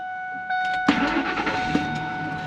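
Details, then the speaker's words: Truck with intermittent hard start and no codes, second start after a hard start and stall: chime, short crank, catches at once into steady idle; normal this time, fuel pressure to be checked. "starts up normal. So, I'm going to have to check the fuel pressure and see if everything's uh holding like it's supposed to."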